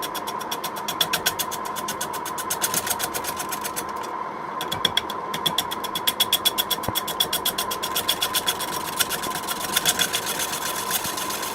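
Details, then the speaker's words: Record wood lathe turning a wet quilted sycamore disc into a bowl blank: sharp regular ticks, about four a second, over a steady hum as the gouge touches the uneven, lumpy surface once per revolution; intermittent tool contact on an out-of-round blank. "you can hear run when it's only uneven surface it only touches once as it goes round well as you got those lumps"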